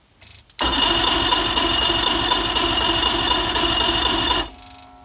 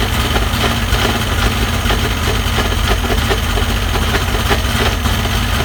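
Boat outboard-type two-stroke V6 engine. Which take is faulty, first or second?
first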